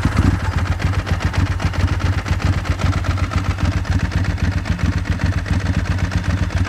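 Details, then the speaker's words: Ducati 996, started properly in neutral on the pit stand, timing belts overdue: loud, uneven lumpy V-twin idle with deep pulses about four per second, steady burble, warming up normally; exhaust and clutch are its main noises. "Not much of a change there actually. And as you can hear, she is a beast. It is a very loud bike, and there are two major noises that come from this bike."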